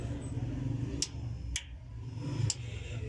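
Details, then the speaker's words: Instant gas geyser that would not start: pressing the button gives three sharp igniter clicks about half a second to a second apart over low background noise, with no spark reaching the burner and no light-up; sensors checked, faulty sparking kit being replaced. "मैं आशीष पटेल करता हूं तो हुआ है आज तक करता है लेकिन आगे इस पार्टी नहीं कर रहा है जो कि आपको नगर भी आ रहा होगा इसके बिल्कुल भी पार नहीं दे रहा है"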